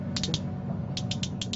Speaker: it sounds pretty good it's clicking into place that sounds like boats pools and Springs are operating correctly there